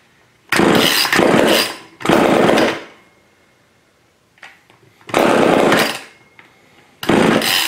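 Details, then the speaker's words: Old neglected Craftsman chainsaw after its carburetor was partially rebuilt and a misinstalled diaphragm corrected. Primed with gasoline and choked, it fires in short high two-stroke bursts that die within about a second; it won't keep running. "that sounds very promising a little bit working on it"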